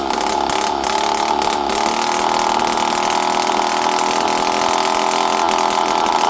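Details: Poulan 5200 Counter Vibe chainsaw, unrun for 5-6 years, on the bench after carburetor screws were set around half to 1.5 turns, with no muffler. It holds a loud, raspy, steady high idle, even and clean with no misfire or hunting. Normal running.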